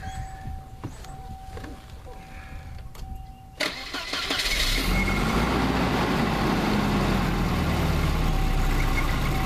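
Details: 1988 Volvo 760 wagon just after main fuel pump replacement (pump only runs once the engine rotates). Several seconds of steady cranking, then it catches and settles to an even idle; the new pump makes a weird sound.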